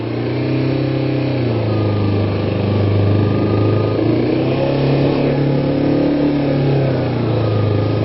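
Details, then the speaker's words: Kawasaki Ninja 250 (EX250), carbureted, cold start after sitting about a week, full choke: fast steady idle with a smooth even buzz; choke to be turned down gradually after about 5 minutes or less. High fast idle on choke. "It's idling pretty high right now. After, I don't know, well, maybe 5 minutes or less, you turn down the choke gradually."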